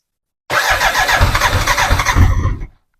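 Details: BMW K100, after fitting a new fuel pump: about two seconds of steady cranking that never catches, with no pump whine before or under it; cranks but won't start, no fuel pump power. New pump didn't fix it; owner suspects under-tank wiring.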